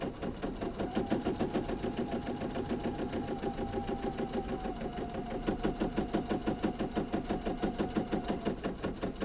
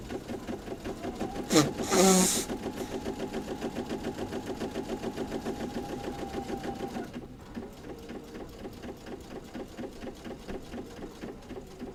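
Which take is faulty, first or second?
first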